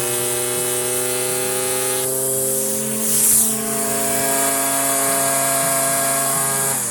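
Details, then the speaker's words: Stihl FS56 residential string trimmer in tall grass, revving up as string shortens on a fence post. Steady high buzzing at full throttle, stepping cleanly with line length; runs strong and healthy. "That's actually a little better right there for that especially for that taller stuff."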